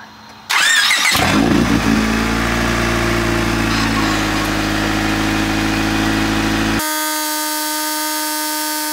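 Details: Honda D-series engine after water pump and timing belt replacement, started to burp air from the refilled coolant system. Short crank, fires right up, smooth even idle, no rattles or belt noise; healthy.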